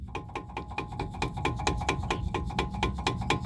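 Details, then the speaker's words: 2012 Nissan Sentra base 2.0: sharp, slightly metallic clacks about twice a second over a low rumble from the front brake calipers, left and right, because the caliper bolts are loose on the glide pins; suspension new. "So, this is the noise I'm getting. clunking noise in the brake caliper."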